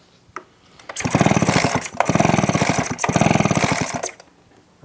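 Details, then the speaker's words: Echo PB255-LN two-stroke leaf blower with no-start complaint, fuel primed, plug wet: rapid pull-start cranking bursts never catch, spark tester shows no spark; faulty ignition coil suspected. "No spark. Okay, let's start breaking it down."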